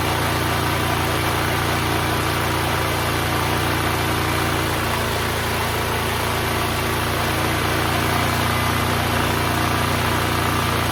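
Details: DuroMax XP12000EH Hybrid Elite 12,000 W dual-fuel portable generator, neglected for years: steady, even drone at constant governed speed, no load, about 63 Hz, no misses, knocks or hunting; running healthy.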